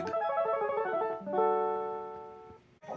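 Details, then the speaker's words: Super Nintendo with a humming audio fault, after electrolytic capacitor replacement: game music plays clean with no hum or buzz. Repair suspected to hinge on the C65/C66 output coupling capacitors. "parou o zumbido vamos lá então 0 de zumbi"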